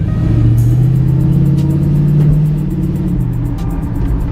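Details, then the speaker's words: 1978 El Camino V8 cruising after fuel pump swap and front brake work: deep, steady burble, smooth and even with no knocks or misses, intake audible, music over it; runs very good. "Yeah, this thing runs so good, man. Yeah, with that fuel pump swap, you can barely tell the car's been running. Yeah. It sounds so good."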